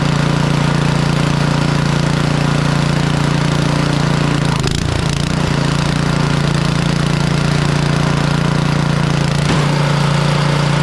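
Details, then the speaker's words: Craftsman (Troy-Bilt/MTD) snowblower, Powermore engine with Huayi carburetor, after sitting a couple years, not starting and leaking gas; after ultrasonic carb cleaning and rebuild, warm day, on choke without priming: steady even putter, no surging or misses; runs normally. "so we got this thing from not starting whatsoever leaking gas to back up and running in a"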